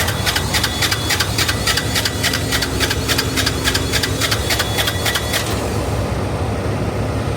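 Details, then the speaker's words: Diesel truck that wouldn't start after running fine the night before: uneven, lumpy clatter with sharp high ticking that stops partway; owner finds the fuel pump not pumping and concludes the fuel pump went bad. "Yep. So, our fuel pump went bad."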